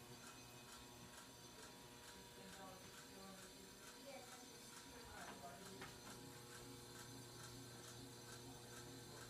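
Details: 42" Aloha Breeze hugger ceiling fan on low speed: quiet regular ticking and rattling about once per second over soft hum, bearing noise and buzzing; scraping against something, cause not found.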